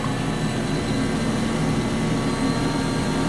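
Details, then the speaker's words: Jet-flame rocket stove with blower fan at 7 volts, about its intended maximum: steady rushing airflow with a low hum and no ticking or scraping; draft fan running smoothly at top setting. "So the amount of power in the fire can be adjusted by how much air. And now we're going up to 7, which is about the maximum that we want to go, so we don't want to use up too much power."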